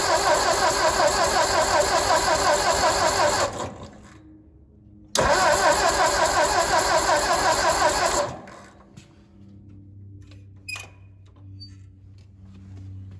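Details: Ford 961 Powermaster tractor after ignition system repair and spark plug wires reconnected: turns over, fires with quick even beat, cuts, restarts, then settles into steady low idle without misses; normal idle.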